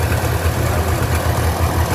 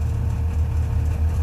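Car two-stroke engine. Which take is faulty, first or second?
second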